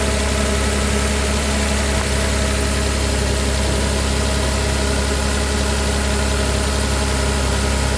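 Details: Volvo idling after new upstream oxygen sensors were fitted, no check engine light and bank 1 and bank 2 sensor 1 working: steady, smooth idle hum, even beat, no ticking, rattles or stumbles; normal idle.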